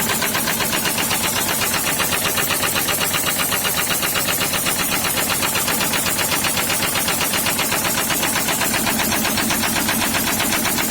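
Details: SsangYong Kyron D20DT diesel with a sharp, heavy, steady knock tracking engine speed from a failed rod bearing in cylinder 4, after oil starvation from a failed mechanical oil pump; no warning lights or codes.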